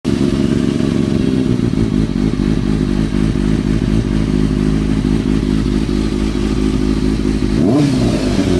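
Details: 2003-2004 Kawasaki ZX-6R 636; inline-four with busy mechanical clatter over the exhaust and a rev blip near the end; owner suspects timing gear, tensioner reset per manual changed nothing; unexplained engine noise.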